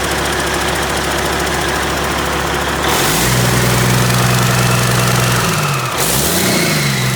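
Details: Overhauled Caterpillar C-15 diesel at first start after rebuild, revving: deep, even note rising and falling smoothly with good oil pressure, no knock, rattle or vibration; healthy engine.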